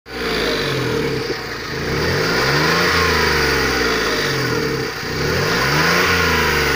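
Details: Engine revved repeatedly: a faint whistle rising and falling with the revs, appearing between 2500 and 3000 rpm when pressing the gas pedal; cause unknown.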